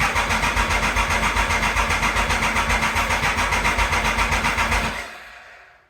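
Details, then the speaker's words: 1996 Triumph Thunderbird, bought as a non-runner, first start attempt after the sprag clutch repair with choke on: even cranking pulses about four a second without the earlier clanking, then it stops without firing; it may not have had fuel yet. "It's really good because we're not hearing those clanking that we heard before."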